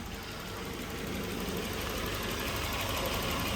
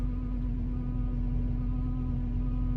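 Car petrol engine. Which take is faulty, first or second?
second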